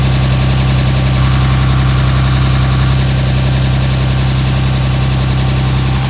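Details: 2007 Dodge Ram 5.9 Cummins diesel, steady loud idle with low slightly lumpy pulse over constant drone; rough for about a month. Intermittent fuel rail pressure sensor, MAP sensor and overboost codes (no boost fooler fitted); owner questions blow-by and exhaust sound; cause not pinned down.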